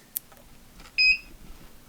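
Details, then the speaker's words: Q'Nique longarm sewing machine after motherboard and encoder board replacement (had frozen screen, needle not moving): powered on, click then one short high beep, light comes on; normal power-on beep. "And we got a light. We heard a beep."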